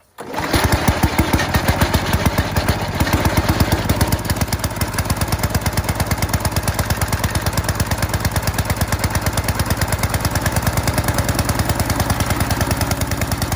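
Small single-cylinder engine catches quickly and settles into a steady, fast putter with an even firing beat; it runs normally.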